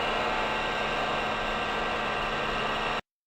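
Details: VFD-controlled electric motor as when new: smooth steady whirr over a low even hum, no fluting whine or grinding; bearings healthy.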